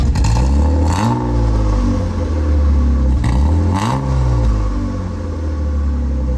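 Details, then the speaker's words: E36 BMW 328ti Compact first start with new exhaust, gaskets omitted at manifold joint and a header bolt missing: rough raspy blat rising and falling with revs plus puffing chuff; exhaust leak at manifold/header joint. "all right well the car is definitely quieter doesn't sound good but it's got an exhaust now you can definitely hear the exhaust leaks"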